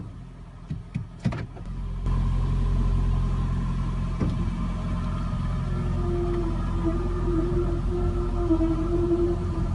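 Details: 2012 Toyota Prius v pulling away at 34°F, cold brakes: wavering mid-pitched howl/grinding over road rumble, mainly right side but also left; fixed by TSB T-SB-0081-13 new calipers.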